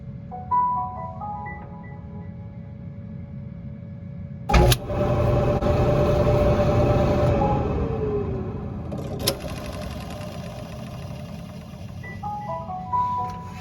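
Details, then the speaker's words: Whirlpool Cabrio dryer, 5 years old, run with the idler pulley belt disconnected: chimes, then a smooth motor hum winding down with no rattle, so the loose, rattling idler pulley bearing is blamed for the noise and gets replaced. "Well, as you heard, it was nice and quiet when that idler pulley was disconnected. So I'm gonna go ahead and make the assumption that it's that idler pulley that's making the noise."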